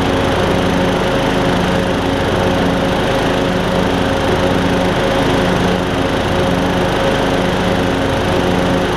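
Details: MTD Craftsman LT2000 riding mower after repairs to the drive and mowing systems, including belts and a pulley: loud, steady single-cylinder drone, even tone, no slipping, squeal or knocks; deck engages and disengages well, mowing normally.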